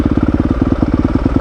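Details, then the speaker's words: 2021 Yamaha YZ250FX on the MX power map, stock battery, in gear with clutch in; push-button start with no throttle catches straight away, then crisp even single-cylinder thumping at about fourteen beats a second with no misses. Normal start and idle. "yeah starting right up every i don't know if that mx power map is what has done it but ever since i put the amx power map on it it it seems to be starting every time no throttle just pushing the button"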